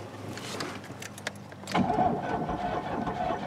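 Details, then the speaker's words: Buick LeSabre sat about a decade outdoors, on a jump pack with a likely dead battery: faint clicks then the starter spins the engine steadily with no firing, cranks but won't start; starting spray tried next. "Oh She Cranks how do you like that what the heck let's give her some spray"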